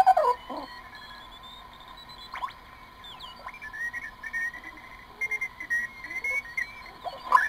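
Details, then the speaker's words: Morgan One Tube Regen, a children's project regenerative receiver, with an 80 m coil (about 3.5 MHz): sharp whistles and sliding squeals over faint hiss as tuning changes as it breaks harshly into regeneration, worse at higher frequencies; regeneration squeal. "notice how harshly it goes into regeneration now this regeneration problem becomes even worse at higher frequencies"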